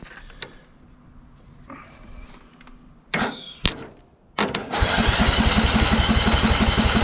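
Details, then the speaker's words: Free riding mower that sat about a year with an electrical no-start; after a compression and spark check, the small engine fires and holds a quick, even putter; it starts and runs fine. "come on runs nice looks like we'll be mowing in no time"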